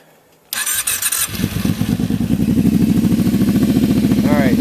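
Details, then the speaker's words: Kawasaki KFX 700 ATV, warm after a short ride, idling after carburetor cleaning for backfiring; quick start then steady even thumping idle with no pops, where it used to pop when warm. "it at this point it would be a popping noise just sitting here especially once it was warmed up at first when it was cold before it wouldn't pop as much but uh so that's good it's not not popping now"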